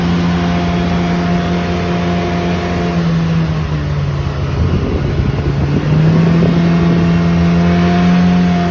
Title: Pro r loud noise